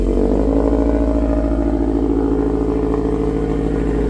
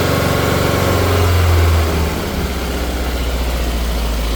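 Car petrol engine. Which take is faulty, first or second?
second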